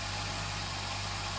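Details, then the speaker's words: 2008 Honda CBF1000 after a no-start with a weak battery, on a jump starter, exact cause still unclear. A steady low hum with a constant hiss over it, holding an even idle without coughing or hunting. Running, considered fixed. "what's going on with this bike but it started up it's running yeah I'm a bit baffled really but it's fixed"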